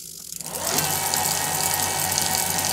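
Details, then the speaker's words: Specialized Fuse e-bike with Bafang BBS02 mid-drive conversion, motor spinning up to a steady even whir; after turning in the derailleur low-limit screw, the chain no longer clicks or jumps. "that sounds about right and that way when I try to click it up into high gear it won't go into high gear that Chain's not [Applause] jumping"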